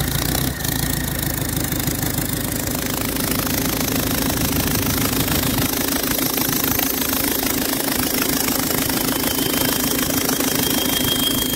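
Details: PSA diesel engine fitted in a Mazda, turbo damaged after losing oil pressure and running without lubrication: a rough, rattling clatter with a faint thin whistle over it.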